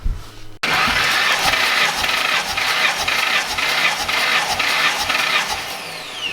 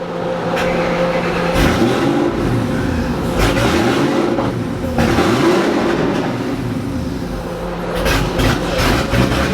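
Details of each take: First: 2007 Ford GT500 with VMP Gen3R supercharger on a stock engine, restarted after a dyno run smoked from the breather: a quick start, then a lively idle with a steady pulse about twice a second and strong hiss; it runs fine. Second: 2007 Ford GT500 with VMP Gen3R supercharger on a stock engine, after a dyno pull where power fell off and smoke came from the breather: revs blip up and down with an uneven, lumpy note as they fall; sounds rough, cause unclear.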